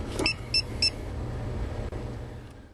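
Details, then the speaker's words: Geotab GO5/GO6 GPS tracker plugged directly into vehicle OBD-II port for function test: three short high double-tone beeps over engine rumble, LEDs lighting; normal power-up. "want to see the LEDs light up and hear the units beep."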